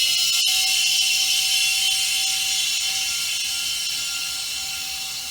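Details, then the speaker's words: Air-powered Hunter 3700 tire mounting machine, wall air valve just opened. Steady high airy hiss with a faint thin tone easing off as pressure builds and the roller rises: normal air tank filling. "And that noise you hear, that's the air tank in it filling up."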